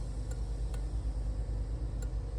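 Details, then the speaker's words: Barn-find Bertone X1/9 under revival: sharp relay clicks tick over a low engine rumble as the turn signals are switched on, the flasher working normally. "Blinkers. Oh, I hear a relay."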